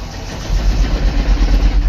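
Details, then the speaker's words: Mahindra Bolero Neo N8 that died after refuelling and won't restart, even after clearing the fault: the starter turns it over with even, heavy low pulses but it never catches or fires. "वही वही समस्या है start नहीं हो रहा"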